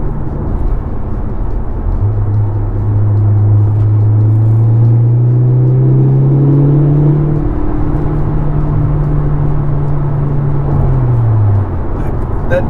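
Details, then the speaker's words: Mk7 VW Golf on a replacement engine with an IS20 turbocharger, full-throttle pull on the road: deep engine drone climbing with a soft rushing air note, described as exhaust flow sound, a different tone under load; normal. "noise, I guess it's the exhaust flow. I'm not used to hearing that."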